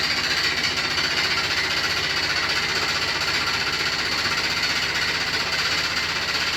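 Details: New Beko WY124PT44MW 12 kg front-load washer, 3rd or 4th use, light load: harsh continuous rattling clatter during spin; a transport bolt left in by the installer, feet lock-nuts also not set.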